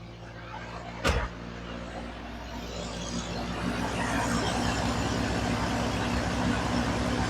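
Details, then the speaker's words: YJ Wrangler 2.5L after a no-start was fixed by replacing a relay; catches after a crank and settles into a steady, even, loud idle that grows slightly louder as it warms, running smoothly with no misses. "we got fuel to the motor I'm sure you can hear it in the background because just an awfully loud little Jeep but it's running"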